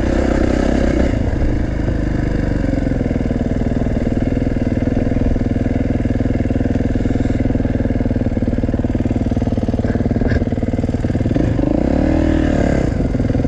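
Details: Kawasaki engine at idle: fast, light ticking rides over an uneven idle and follows engine speed; owner says the valves are just noisy, sounding almost like an exhaust leak but not one.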